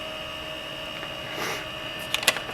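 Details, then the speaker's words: Late-1990s Seagate Barracuda 7200 RPM SCSI server hard drive running normally: loud, steady high-pitched whine from the spinning platters with a few quick head-seek clicks. "Now, these drives are pretty loud. Unfortunately, the sound they make is directly in my vocal range."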